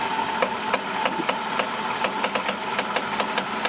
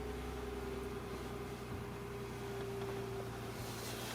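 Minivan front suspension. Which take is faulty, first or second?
first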